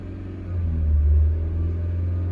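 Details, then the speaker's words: Honda Civic or Lexus at idle, EGR valve commanded via bidirectional scan tool test: idle rumble swells briefly for about a second then settles back; EGR activation blip, test result normal. "If you heard that blip in the engine's RPM, that was not me. That was the EGR activating, and we get back that the tests are normal."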